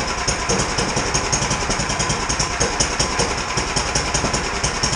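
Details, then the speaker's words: 17-year-old Sears snow blower after carburetor cleaning and repair, idling with the idle screw turned down too low: slow, uneven chuffing at two to three beats a second, loping as if close to stalling. "so we'll start it up in here real quick and show how it how it IDs now [Music] I turned it down too [Music] [Music] low"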